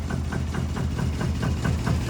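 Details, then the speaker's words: 1973 Lancia Fulvia 1.3 V4 front-wheel drive, carbs dialed in, engine fully cold with no choke: a low, steady, even idle with no knocks or misses. It idles down and almost dies; normal cold idle. "so the chok's not on there's no quick accelerate there you can hear one idle down and almost die cuz we don't have the choke on but that's fully cold"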